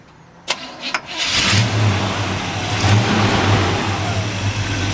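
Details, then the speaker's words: 1972 Chevrolet El Camino, original matching-numbers 350 V8, 4-barrel carburetor, aftermarket aluminum intake, HEI ignition, automatic: quick crank, catches and settles into deep even idle rumble, no misses or ticks; heard out the back through dual exhaust; normal start and idle. "Nice little rumble to it. Runs all the way out the back. Nice dual exhaust."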